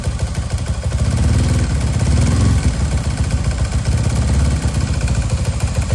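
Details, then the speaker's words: Motorcycle rebuilt to 62 bore, loud noise from cylinder head: rough rapid clack-clack clatter over the exhaust, louder with throttle, persisting after everything checked; loose cam/rocker initially suspected, cause still unknown. "Bây giờ mình sẽ để cái tiếng kêu cho bạn xem. Đó, các bạn nghe tiếng cạch cạch không? Lên ga"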